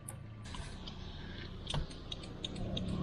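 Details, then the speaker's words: 1998 Toyota Celica at 176,000 km: turn signal flashes very fast, a faint rapid ticking about three per second over the idle. The fault was one front bulb, not the rear, with a dirty bulb base contact. "ah we here flushing very fast there could seems like one of the flash lights oh the front light was the problem not the back"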